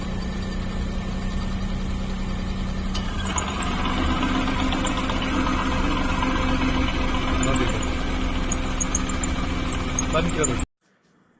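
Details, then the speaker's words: CNG-fitted car that stalls when switched over: uneven idle with a loose stumble about three times a second after the changeover; misfire from burnt valves, worn guides and cut valve seats, needing new guides in the cylinder head. "सभी बाल खराब है इसके देख लो guide भी cut गई है इसका सीट भी कट गया है ऐड में सब गाइड डालना पड़ेगा सब जल गए हैं सीएनजी में यही दिक्कत रह"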